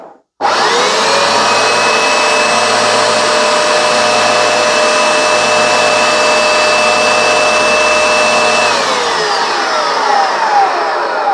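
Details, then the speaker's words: Vax Dual Power W86-DP-b carpet washer after its drive belt was replaced: steady, even motor whine at constant pitch with no slapping or slipping, brushes turning, then a smooth wind-down; running normally. "Right, well that's obviously a success. This is now working. Okay, the brushes are now turning."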